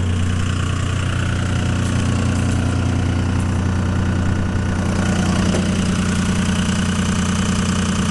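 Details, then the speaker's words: 2002 Dodge Ram Cummins 24-valve HO with VP44 pump, cold with the high idle held near 1200 rpm and three-cylinder mode switched on: a deep, lumpy idle, the intended extra load to warm up faster. Normal. "it drops into 3-cylinder mode it just gives an increased load increased exhaust temperatures causing it to warm up faster"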